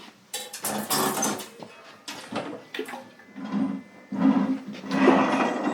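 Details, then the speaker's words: Shredder with a broken clutch, turned slowly by hand with the engine not running. It gives uneven bursts of metallic clattering and scraping from inside the rotating parts, which the owner judges to be a dead bearing; this is not yet confirmed. "ouais donc en fait un bon là on a vraiment un bruit de roulement morts donc ça pour c'est pour ceux qui font un peu une mécanique"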